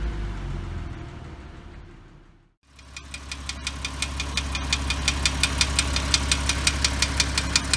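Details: 2006 Porsche Cayman S (987), 87,094 km: sharp, even ticking near three per second over a low idle hum, rising with engine speed; engine ticking, lash adjuster suspected, possibly piston slap, unconfirmed.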